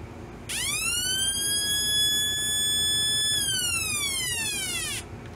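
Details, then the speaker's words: Homemade circa-1972 police-style siren oscillator with a 22 µF replacement timing capacitor: clean tone rises quickly, holds, then falls away smoothly; better than the original bad capacitor. "better than the bad one"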